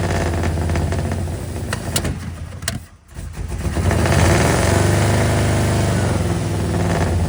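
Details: Square body single-cab Chevy truck with a small block 350 V8, running again after six months down (broken starter bolt hole fixed with a stud). After rewiring to firing order 18436572 and setting the timing, it catches after a brief dip and settles into a steady, even idle burble with no backfires.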